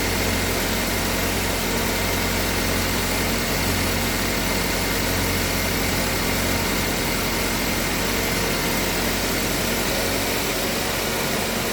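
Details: Engine with previous head gasket and burnt-valve repair, back for P0014 exhaust cam code, after installing new Dorman part and tensioner: steady, even idle hum, no rattle or ticking from the cam end; idles normally, though scan shows new part prematurely failed.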